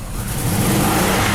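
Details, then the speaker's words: Lexus RX300 V6, 180,000 miles, check engine light on: engine revs up roughly and hesitantly, won't rev properly; misfire on one cylinder, failing ignition coil. "you can hear it. It doesn't want to rev up right."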